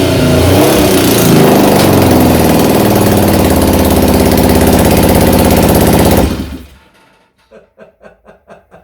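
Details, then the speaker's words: 1975 Triumph Trident T160 triple after full rebuild, first startup on electric start: harsh, loud open blare barely holding a steady beat before dying, from a too-loosely fitted exhaust coming off and leaking. "yeah well i did say i'd loosely fit the exhaust i think maybe a bit too loosely but the engine the engine has started"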